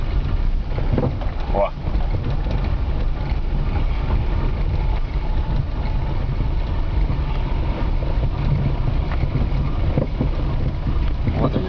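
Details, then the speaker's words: VAZ car rolling: dull, irregular thuds through a heavy low rumble from the front suspension arm; worn ball joint. "вот он звук сейчас покажу ем о о о глухой звук это шаровая опора"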